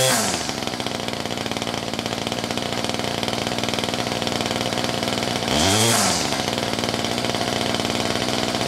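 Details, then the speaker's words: Ryobi 2800R curved-shaft string trimmer (MTD-built two-stroke), held at wide-open throttle while the mixture screw is turned in for peak revs, then backed out 1/8–1/16 turn; buzzy scream with brief dip and surge. "so what I've done is I've held the throttle wide open and I've turned in the adjustment screw until the engine revved the highest and then just back out 1/8 to 1/16 of a turn and that's where you want it to be set"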